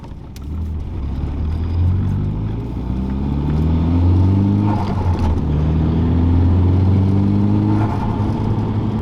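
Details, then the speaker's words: Nissan S13 180sx with R200 VLSD diff, decelerating in third gear from about 2700 to 2000 rpm: a low hum rising and falling with speed over tyre rumble, gone on throttle. It persisted after the diff was reshimmed; the center bearing is suspected, unconfirmed. "It's an example of how the car sounds on decel, pretty much from about 2700 to 2000 RPM."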